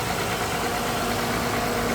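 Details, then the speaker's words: 2007 Honda Odyssey, front-end wrecked, reportedly running fine before the accident, heard under the hood with the AC fan running; even idle hum with no ticks, knocks or belt squeal, belt running straight, engine sounds fine. "I have no clue, but it sounds good. I know what I'm listening for. Belt is going on straight, no problems."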